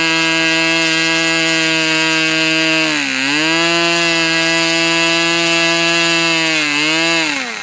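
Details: Customer's Fox twin-cylinder model engine after leaning low-speed needle about three clicks: steady clean high-pitched drone with a couple of smooth recovered dips; runs evenly and strongly.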